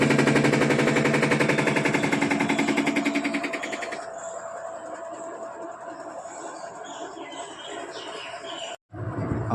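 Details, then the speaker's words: Panasonic top-load washing machine in spin: fast regular thumping nearly four per second that fades as the tub slows; pulsator nut suspected loose; spin knocking from loose pulsator nut. "इसके अंदर जो आवाज आ रही है मेरे हिसाब से इसका नट नट में समस्या है"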